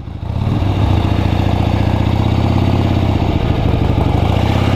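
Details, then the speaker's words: Old Harley-Davidson V-twin unridden for over 40 years, revived, first ride around the block through four gears with sticky transmission; loose lumpy beat pulling steadily, rough but even; needs a tune-up but running normally. "so I'm going to take this thing around the block quick before dropping it off at my friends to surprise him his dad and his son oh man first ride in 40 years pretty cool"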